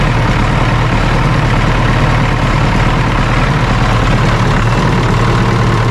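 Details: John Deere 450C dozer diesel running on its new gear-reduction starter, a little air still in the fuel line: deep, even rumble holding steady with no misses or stumbles; running normally.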